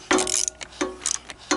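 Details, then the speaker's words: Sunl 110ST Chinese ATV, weather-seized engine freed and rusty cylinder honed, in cold weather: slow ratcheting cranking strokes roughly every 0.7 seconds with a dragging push; the engine has compression. "okay sounds like we even have compression"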